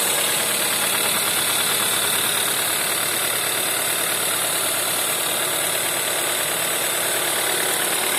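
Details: VW 1.4 TSI CAVD engine on cold start: fast light tapping knock, about three per second, over a cold idle hiss; cause unclear.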